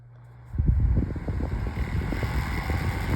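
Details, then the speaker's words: Holmes Blizzard oscillating table fan that no longer oscillates, switched back to high: a dense, uneven low clatter over the motor hum, a loose rattle that keeps going. Loud rattle at high speed. "I'm just going to turn it back on high again. Oh my god, this is going to be painful."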